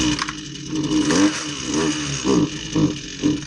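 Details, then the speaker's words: Husqvarna 129LK string trimmer, small two-stroke, reassembled after arriving in pieces, likely never had a carburetor adjustment: revs surge up and sag about every half second, never holding steady; carburetor out of adjustment. "you're gonna find out here that it just needed a carburetor adjustment I mean I think they may have bought this online or from a big box store"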